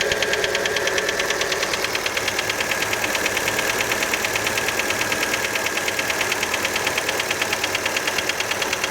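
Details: Fiat Panda engine after a cold start: a steady, rhythmic, sharp metallic tapping, about three per second, over the cold idle. Many suspect the piston skirt, but this is unconfirmed.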